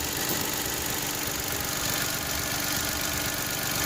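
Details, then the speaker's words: Mitsubishi Mirage idling after a new spark plug cured its hard starting and earlier smoky running. Steady, even idle with a light hiss and no misses; normal idle. "Ayan, ganun lang siya kadali. Tingnan natin yan. Normal na yung andar niya."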